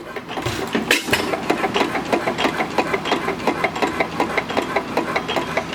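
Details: Stationary single engine, run with retarded spark: slow thump with a sharp metallic knock on every beat, about three a second; knock developed since purchase despite greasing, source unknown.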